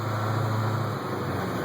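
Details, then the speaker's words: 1989 Chevrolet Thomas bus with 8-2 Detroit diesel, driving a short lap at low speed with the window open: a low, even diesel rumble with no knocks or rattles, the engine purring and running normally. "Yeah, I just made it. Just barely did. You listen to that 8-2 Detroit."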